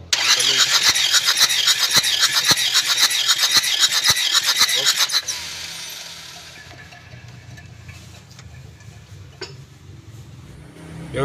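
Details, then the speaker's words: Panther Touring that died after running out of coolant on the toll road, cranking during compression test; quick light even starter whir about five seconds; low compression, cylinders 2 and 3 about 3 bar, only number four good, scoring found. "Pengukuran kompresinya terlalu rendah, kan? Pembacaan kompresi terbaik hanya terdapat pada nomor empat."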